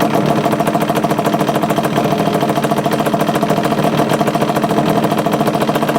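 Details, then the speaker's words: 2002 Yamaha Banshee two-stroke idling before a kickstart rebuild: a fast, uneven metallic chatter rides over the exhaust note, from a worn, loose kickstart mechanism needing replacement. "anyway let me quick it up and let give you all an example of what it does when that needs to be replaced"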